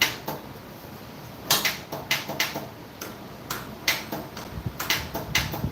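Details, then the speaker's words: Craftsman LTX1000 riding mower, key turned just after a stuck belt was freed. Sharp, irregular dry clicks, a couple each second, and no cranking; owner suspects the solenoid. "Didn't it turn over a minute ago? Now the solenoid's acting up."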